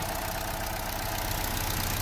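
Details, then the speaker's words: Vauxhall A14NET after head gasket replacement, idling: slightly uneven idle dulling with a hissy airy vacuum edge, strong suction at filler indicating failed PCV valve in cam cover. "That is also indicating that the PCV has failed."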